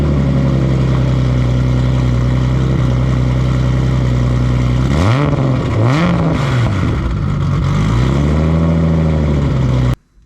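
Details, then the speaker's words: Nissan R32 Skyline after installing cam-driven Kinsler mechanical fuel pump, Radium external FCST and cam trigger kit, timing set: smooth idle with two clean blips, no misses; running great, needs extra cranking to build fuel pressure. "uh wow we got the car started up uh set the timing and she's running great"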